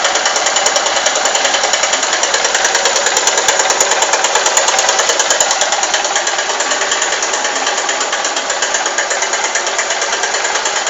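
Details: Honda Titan 150 cc motorcycle engine, heard right at start-up: light, fast ticking about three per second over a steady idle; strange unidentified tick, cause not pinned down.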